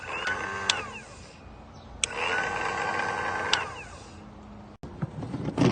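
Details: Boat engine, cranked with a remote starter switch during voltage drop tests before a starter replacement: short bursts of sluggish, labouring starter whir that never catch; slow cranking from voltage loss at a corroded engine ground cable.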